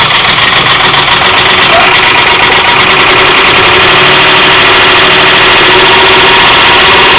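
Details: 2001 Ford F-150 4.6-liter at steady idle with a harsh, fairly regular tapping about three or four per second over the engine; engine knock of unknown origin.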